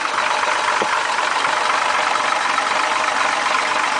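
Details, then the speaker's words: 1967 Ford 300 inline six with 2in exhaust and welded glass packs, idling: steady idle with a light, fast ticking valve-train rattle over the exhaust note, possibly loose lash (unconfirmed); owner considers it harmless, engine runs smooth and even. "starts right up every [Applause] time little rattle R along the valves there but doesn't hurt anything I kind of like it runs nice and smooth and even"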